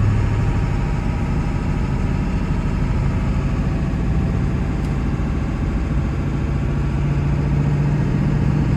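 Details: 1999 Ford F-350 4x4 dually with the 7.3 Powerstroke diesel, 6-speed manual and 58k miles, pulling off a hill. Steady diesel drone with a smooth clutch and no grinding or clunk going into gear; healthy manual shifting.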